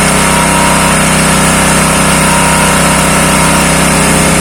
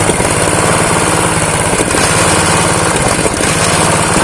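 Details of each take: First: Honda GX160 water pump engine, dirty and seized from long disuse, freed up and started with the pump primed with water: steady hum with a settled firing beat and a couple of small pitch shifts; normal running, suction strong. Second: Honda GX160 single-cylinder water pump engine revived after years of disuse, seized and low compression: low, lumpy idle wavering near stalling; idle set too low, raised via the throttle stop screw, carb jet possibly dirty.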